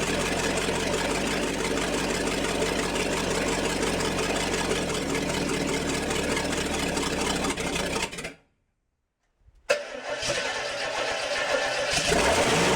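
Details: International 345 V8 at first start-up after reassembly, timing set by ear: lumpy, loping uneven idle, cut off then restarted and settling; rough idle, carburetor out of adjustment and needs work.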